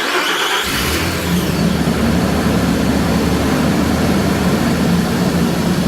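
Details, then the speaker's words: 2008 Nissan Pathfinder R51 at 215K miles, first start after replacing fan clutch with OEM Nissan part and new belt: engine settles into steady idle, fan's brief whirr at start calms quickly instead of hovercraft roar; normal engagement. "That's better. It started, you could hear the fan whirring, but it calmed right down."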